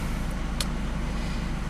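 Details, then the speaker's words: 1993 Subaru Impreza idling right after an oil change with fresh oil, oil pressure light now out: steady, even low rumble with no knocks, ticks or misses. Normal idle. "the car is running all right it's got fresh oil ready for disposal of"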